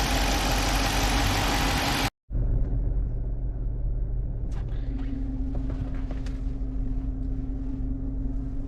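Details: Engine after a top overhaul for a knocking noise on a 5.7 with hydraulic lifters: a steady, fairly quiet idle rumble with no clear knocking, and a faint hum comes in later. Sounds like a normal idle.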